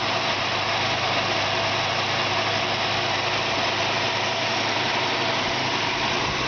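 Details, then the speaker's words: 1965 Ford Mustang with original six-cylinder engine idling: even, steady hum that purrs, without the loud lifter noise or diesel-like sound these sixes often had; running smoothly. "I've heard a lot of guys say, "Ooh, that six-cylinder original six-cylinder Chevy or Ford sometimes sounds like a diesel." This thing just purrs like a"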